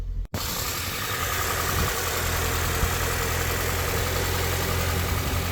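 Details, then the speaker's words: Barn-find Mini, sat over a year, fired first time on only a new battery: steady, even idle with smooth low thrum, no misses, knocks or odd vibrations, belt spinning nicely. "engine sound sweet isn't that no odd vibrations belt spinning nicely happy days"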